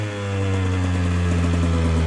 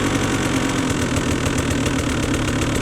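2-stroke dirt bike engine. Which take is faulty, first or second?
first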